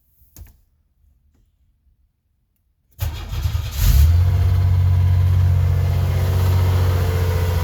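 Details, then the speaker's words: 1989 Chevy Celebrity, 205,000 miles, cold start next day after vacuum leak and idle repairs: quick crank, clean catch, smooth steady fast idle; normal cold start and high idle. "It is the next day, so let's, uh, fire it up and see how it runs. See if the cold start high idle goes up and comes down like it's supposed to."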